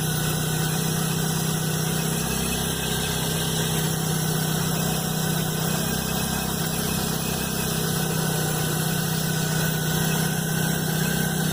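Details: Chevrolet Blazer at cold idle, noise starting the morning after a mechanic replaced the timing belt and upper belt: loud, steady low drone over an even engine beat; cause unknown.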